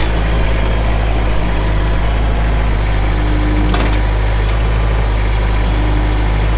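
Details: 2004 Kubota M6800 4WD pre-emissions diesel tractor, 1,181 hours: deep, steady diesel rumble at even idle with no knocks or misses; normal idle.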